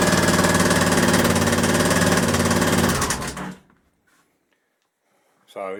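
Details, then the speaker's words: Honda XL1000 Varadero with heavy vibration felt at sprocket and rear wheel, gears shifting fine: heavy rapid metallic rattle then shutoff; suspected gearbox input shaft bearing at sprocket or rear cylinder, not confirmed. "can hear that is one hell of a big rattle"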